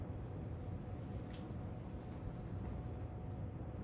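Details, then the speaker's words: Encon "Bouquet" ceiling fan on high speed after installation, blades fitted with screws only: soft, steady low hum with faint air rush, no ticking, rattle or wobble; dead silent, normal quiet running. "man that's like dead silent"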